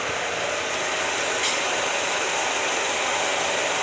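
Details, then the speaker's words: Honda Freed being repaired for overheating, radiator refitted and fan motor serviced, engine running while temperature is watched on a scan tool; fan set to switch on at 96 degrees: a steady, even rushing whoosh; normal cooling fan operation. "Ya, nanti kita lihat untuk radiator sudah terpasang dan kita cek-cek lagi kebocoran. Jadi nanti pada suhu 96 kipas akan berputar."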